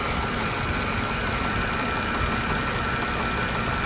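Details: Mercedes-Benz W211 with recurring engine misfire, months after another shop's repair including a new ECU: rough, uneven low thump at idle under a steady hiss.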